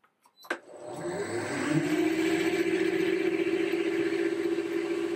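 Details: Lathe drive with variable speed motor and inverter fitted 3 years ago, starting up: motor winds smoothly from rest into steady even hum toward about 1,460 rpm, no knocks or roughness; normal run-up.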